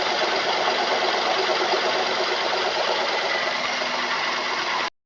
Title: Mazda 3 engine knock...